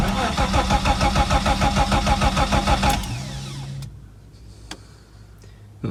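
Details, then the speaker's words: Ford Sierra Mk1 Estate 4x4 Ghia 2.8i, after fitting new studs and bolts: steady starter churn about three turns a second for three seconds with no firing; cranks, won't start; owner suspects the same fault again, spark later confirmed present. "now is it [Music] hmm that's interesting because i haven't touched anything it's probably this plane up again"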